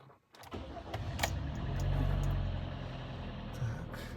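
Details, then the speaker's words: Kia Optima 2011, G4KD 2.0 petrol, after piston/ring rebuild for cylinder scoring and block machining, first start after repair, cold: brief crank, clean catch, flare, then quiet smooth idle with no knocking; only panel flap noises; healthy. "работает ровно работает тихо"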